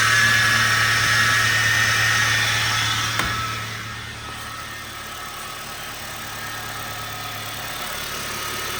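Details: Honda Fit GD3 after first valve adjustment, warming up: steady tapping knock about four per second at idle, persisting after revs; loud noise attributed to crankshaft pulley; owner unsure whether rod knock or normal Honda noise.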